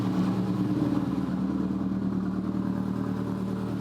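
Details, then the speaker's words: 2004 Subaru Impreza Outback Sport, engine rebuilt about 10,000 miles ago, low power and idle complaints: cold engine idle rises to about 1200 rpm with even note and no stumble while warming up; normal cold fast idle. "is now roughly 1200, which normally Subarus do idle up when cold to get up to operating temperature, and once they get partially up to temperature, the idle returns back to normal."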